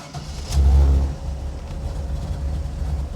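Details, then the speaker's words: 1972 Nova, 6.0 V8 with Chop Monster cam, 4L80E, Holley Terminator X, hot start: quick crank, catches at once with a short flare, settles into steady lumpy idle; previously needed throttle to start. "It's way better. Used to you have to give it you had to get a little throttle."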